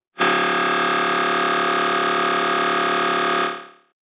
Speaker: This is what you used to hear.